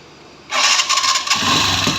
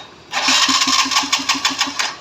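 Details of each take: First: TVS Sport carburetor motorcycle after reconnecting the carburetor pipe: starts after short crank and runs steadily with no popping or spitting; popping noise gone. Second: TVS Sport carburetor motorcycle with carburetor pipe removed: sharp even pops about five per second under two seconds; disconnected pipe causes the popping.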